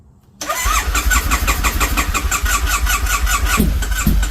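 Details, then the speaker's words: Triumph Bonneville T100 that will not start from a low battery: the starter turns the engine over at about four beats a second with a couple of weak pops, but it never catches. "Pops that battery's going down it sound like it wanted to but it's this battery is low yeah the battery's too low"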